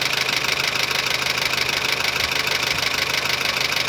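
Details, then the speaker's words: 2007 Honda Civic petrol engine idling with the accessory belt removed (belt roar gone): fast steady diesel-like tappet clatter, needing valve lash adjustment under the valve cover to quiet it. "Mas você vai escutar como se fosse um carro diesel trabalhando,"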